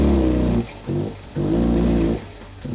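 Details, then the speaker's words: Suzuki Liana at idle runs smooth, but when revved above 2,000 rpm it picks up, then sags and nearly dies; airbox was suspected and the filter looked fine. "Right. So it runs smooth. It's all good. When you try and go above 2,000 RPM,"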